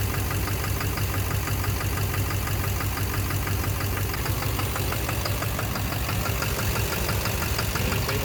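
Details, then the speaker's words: 2009 Chevrolet Duramax LMM diesel V8 dually at idle during cylinder cut-out tests: a steady knock about twice a second over the rumble, seeming to come from the back of the motor; owner suspects injector knock or a cracked flexplate. "Yeah, you can hear a knocking sound, but you can't."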